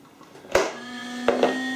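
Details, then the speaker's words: Creality CR-10S 3D printer switched on after fitting NEMA 17 stepper motor vibration dampers: a click at power-on, then a steady fan hum with a faint higher whine that holds even. Ordinary fan noise, nothing wrong. "so let's turn on the printer please don't mind the noise of the fence"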